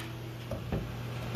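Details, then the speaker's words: 8K diesel air heater on first run, setting three; soft sharp ticks once or twice a second over a low steady hum: normal dosing pump ticking while priming air out of the fuel system. "now it's ticking here so that's the pump ticking so now it's it's going to take a while because it's got to pump all the air out of the system"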